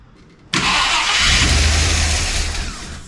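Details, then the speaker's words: 1966 Ford Country Sedan FE big-block after a bigger solid-lifter cam swap, distributor timing checked right at 12: engine catches at once and runs steady and even, no misfire, pinging or knock; normal first start. "Yeah. Yeah, it should be close enough to run. Actually, that's right at 12. So, that should be enough."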